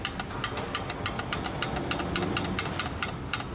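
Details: 1988 Toyota Land Cruiser Troop Carrier, carburetted, parked five years with new distributor and carburetor: engine holds a steady, even idle with light regular ticking, running properly.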